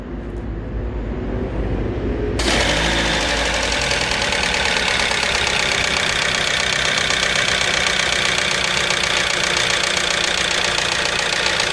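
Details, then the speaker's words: Hyundai Santa Fe petrol, just started, oil very thick and not reaching the upper engine: loud constant metallic rattle over idle, blamed by another mechanic on pistons but diagnosed as timing chain noise from sludged oil. "मुझे engine की sound engine के अंदर sound है but engine की piston की sound नहीं है। यह साउंड जो है क्या कहते हैं टाइमिंग चैन के जो होते हैं क्लच उसकी साउंड है ये।"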